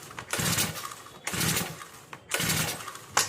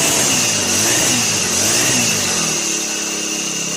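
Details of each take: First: New brush cutter, choke tried on and off: three pull-cord rips, each a rasping whirr with no firing or catch; cranks but won't start. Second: Brand-new Turbotech SD T35 4S four-stroke brush cutter that would not start; after replacing shorted ignition coil it revs high in a buzzing wail for two seconds, then drops to steady even idle, no misfire.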